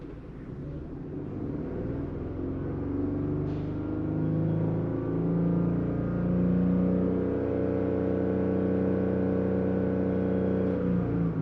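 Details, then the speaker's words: 2022 Genesis GV70 3.5 L petrol V6 at 25,000 km, code P0301, revved from idle and held with an uneven, lumpy pulse and the vehicle shaking; cylinder 1 still misfiring, its injector apparently shut off. "Okay, there's still a misfire there."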